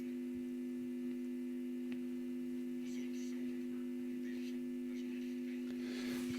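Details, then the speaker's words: Telefunken Jubilate tube radio at first power-up, only one audio-stage capacitor replaced, volume and tone at max: steady low hum over a very faint but clear programme; weak output and heavy hum, filter capacitors need changing. "faintly but it's it's actually clear but very faint lots of harm obviously so the filter capacitors need changing here we go again I can hear it I'm not sure if you can hear but it's actually picking up quite clearly but very very faintly"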